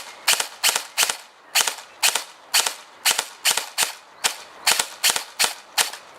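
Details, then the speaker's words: Airsoft Entrepôt V2 Ama Tsu Maru gearbox on an 11.1V 1200mAh 25C LiPo, unmodified; motor running hot: sharp shots land in quick pairs on semi-auto, double firing because the stock gearbox isn't built for 11.1V. "parce que y y a vraiment il y a trop de patate et du coup ça va ça va entraîner tout le bazar un peu trop fort d'origine la gearbox n'est pas prévu pour encaisser du 111"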